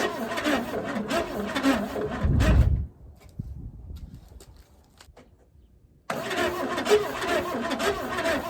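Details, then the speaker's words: 1964 Chevrolet Chevelle Malibu 230 inline-six, sitting since 1991 (34 years): the starter cranks evenly but it never fires because there is no spark. The dark plug suggests it ran rich or burned oil. "Hey, hey, hey. We're not getting any spark."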